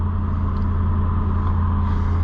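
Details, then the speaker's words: Cheap Ford Super Duty after splicing a broken wire and reconnecting the fuel pump control module: it now runs with a steady, even low rumble and smooth idle, no stumbling. "running truck how about that one wire broken is all she takes and she's a runner now"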